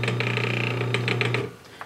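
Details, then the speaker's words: Induction motor wired up to be built into an induction generator: steady even hum with light mechanical chatter and no knocks, then a quiet coast-down; normal running. "it's running pretty good"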